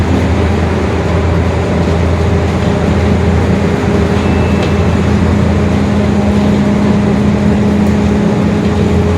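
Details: 2021 Marcopolo Torino S urban bus on Mercedes-Benz OF-1721 Bluetec 5 chassis, extended, driving: steady diesel drone under road noise, low droning hum building midway. Differential whine, rear differential growling.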